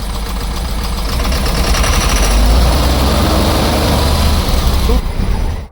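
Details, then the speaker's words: Idling JAC N80 with a Cummins ISF 3.8 diesel: heavy regular knock, three or four a second; the cylinder 1 rocker had come off, so exhaust valves didn't open, fuel injected without igniting and leaked into the return. "на первом цилиндре выпускные клапана не открывались форсунка соответственно впрыск давала но не воспламенять при этом ещё в обратку Лила"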